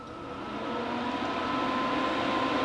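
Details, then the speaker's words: Duxtop portable induction countertop burner heating a small cast iron pan: steady thin high-pitched hum over a faint even hiss, showing it is working normally. "and you get a very high pitched hum indicating that it's working and it did"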